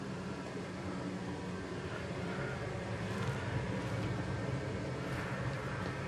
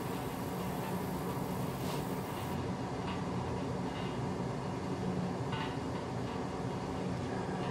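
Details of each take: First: Used, lower-hours oil burner in a Finnish basement, fitted to replace a roughly 15-year-old unit with failing bearings: steady low roar, even rumble, no pulsing, knocking or sputter; running normally, quieter than the old one, and the chimney smoke looked fine. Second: Used replacement oil burner in a basement in Finland, first firing after oil preheating: steady low roar with scattered ticks and sputters; air trapped in the fuel hoses is suspected.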